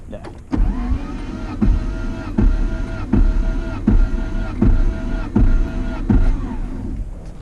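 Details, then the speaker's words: Nissan 240 with a blown KA24DET, towed home before a rebuild, cranked with a compression gauge in the spark plug hole: even starter surges of about eighty a minute, each loading on compression, no start. Earlier readings were low. "so we're gonna what we're gonna do is crank it over a few times to build the compression usually like three or three to five turnovers"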